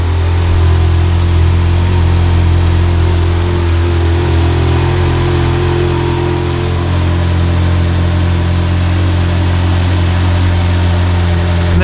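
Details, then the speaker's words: 2008 Ferrari F430 on a cold start: quick, uneven ticking from the left-side exhaust headers over the idle, a header leak. The ticking fades at warm idle and returns at higher rpm. "so on the cold start you can really hear the left side of the headers ticking away because are messed up so"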